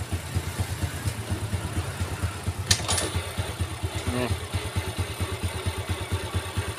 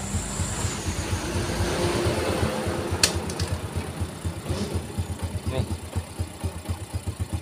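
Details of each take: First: Yamaha 4-stroke underbone motorcycle, right engine side: idle smooth in neutral at about two beats a second but coarse, rough crackling when put in gear. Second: Yamaha 4-stroke underbone motorcycle (Vega/Jupiter type) after repair replacing a crushed clutch cage: even putt-putt idle in gear, no crunching or scraping anymore, fixed.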